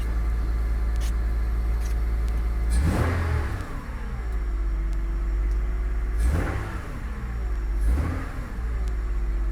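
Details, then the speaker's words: 2001 Honda Odyssey after installing a short ram intake with a 3" filter: three light blips from idle, with a throaty intake rush as revs rise and fall back evenly. Normal revving with intake noise. "not trying to rub it loud right now because my neighbor's outside i don't want to annoy him but you can hear the little intake noise that sounds so good"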